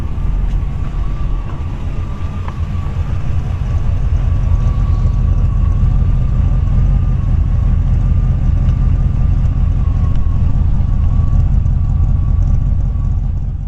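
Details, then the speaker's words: 1940 Ford Deluxe Woody Wagon with a 283 Chevy V8: a deep, steady, even low rumble at about 600-700 rpm idle with no knocks or misses; a normal idle. "Yeah, green little LED lights on when this thing just starts right up. Wait till you hear it underneath the hood. It only idles about 600-700 RPM."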